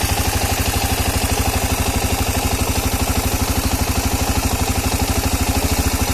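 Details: Engine knock: a rapid, even mechanical knock runs steadily over the idle and stays in step with the engine; origin unknown.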